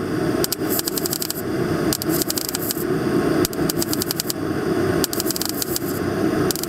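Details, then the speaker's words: MIG stitch-welding car body rust-repair panel with short trigger pulls: spitting, crackling bursts instead of a smooth frying-bacon sizzle, meaning settings are off and the wire feed speed is too low and needs increasing. "And if you listen, you could hear a slight difference in what this weld sounds like compared to the last seam Weld this one doesn't sound like frying bacon So our settings are a little bit off and I think we need to increase the wire speed"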